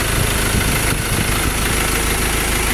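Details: Ford Ranger that previously gave no reaction and wouldn't start, after repair: it starts on one click and settles into a steady, even idle with a low rumble, no knocks or misses; it later revved to 4,500 rpm. Normal idle.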